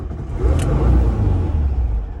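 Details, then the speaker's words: 1978 VW T2 Westfalia camper van, cold morning start after two pedal pumps to prime fuel and key turned with pedal half pressed: catches quickly, steady deep rumble without misses or knocks; normal. "In the morning, you have to warm up this old lady. So for 1 minute, you're gonna press the accelerator a little bit. You can hear it just a tiny bit, so it warms up for 1 minute."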